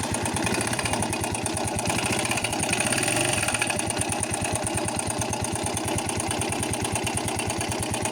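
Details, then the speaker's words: Ten-year-old Viper 125J single idling with a steady, even tapping in time with the engine; engine knock, owner first suspected the camshaft, found cam intact with new bushing, now suspects a camshaft bearing. "Но вот на днях что-то с ним случилось. Начал он тарабанить."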